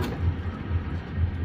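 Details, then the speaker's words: Brunswick A2 pinsetter single-phase motor restarted after service to check for starting or running issues; low even hum with a gentle regular pulse about twice a second, no grinding, starts right up and runs cleanly. "we'll test it a couple of times make sure it doesn't have any starting issues or other running issues so start looks good run looks [Music] good"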